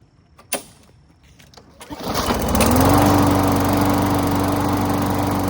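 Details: Briggs and Stratton engine after cleaning its plastic carburetor: pull start catches after a couple of seconds and settles into a smooth, even drone; runs healthy.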